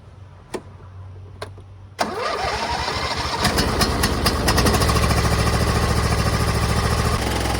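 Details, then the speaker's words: MTD Gold garden tractor with 54-inch deck, 26 hp Briggs & Stratton V-twin, reassembled after the electrical fault was fixed. Starter whirs briefly, then it catches easily and settles into a steady, even run with no knocks or misses. Normal running. "Got it going pretty easily."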